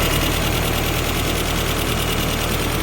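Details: 1993 Toyota pickup 22RE with a newly installed Redline Engine Builders Beast camshaft, first start before break-in: steady, even idle at about 1,000 rpm with a firm, regular beat and hardly any lope; running fine.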